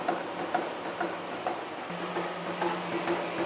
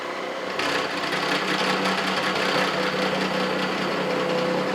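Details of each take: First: Steady face-milling cut on a new steam chest valve yoke for a 1917 Vulcan Iron Works narrow-gauge steam locomotive, about 0.050 in depth of cut: soft even cutting hiss, light ticks twice a second, low hum; smooth unlabored cut leaving a nice finish. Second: Face mill cutting a Vulcan steam locomotive valve yoke: steady cutting chatter with a pulsing beat each revolution and a faint ringing tone. One tooth sounds like it is cutting heavier than the others; operator suspects mis-set inserts.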